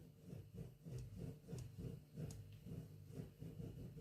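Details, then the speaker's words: Fender Vibrolux amp with test 6L6 tubes: low rasping swells about three times a second as volume pot turns; about 1.1–1.2 V DC leaking onto preamp grids and volume via conductive aged factory board wax, not coupling caps, causing scratchy pot. "that scratchiness on the pot."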